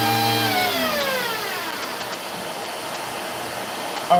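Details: Vacuum with no-power complaint: motor whine sags and coasts down for several seconds, then snaps briefly back on; power to the power head cutting in and out, cause suspected, not confirmed.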